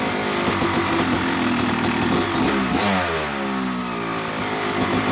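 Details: Yamaha YZ250 two-stroke motocross bike (250cc/270cc) at start-up for break-in after a year-long full engine rebuild of bottom end, transmission, bearings, clutch and power valve, new seals; steady idle, one smooth blip settling cleanly; normal, healthy.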